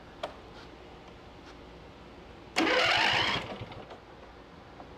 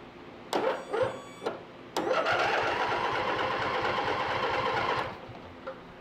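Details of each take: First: Free riding lawn mower tractor after a valve adjustment, with the battery hooked up by jumper cables: quiet, then the small engine catches and fires in a short sharp burst. A normal start. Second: Free used riding lawn mower that will not start: starter whirs in short tries then a steady three-second crank, engine never catches even with fuel poured into the carburetor; ignition suspected, not confirmed.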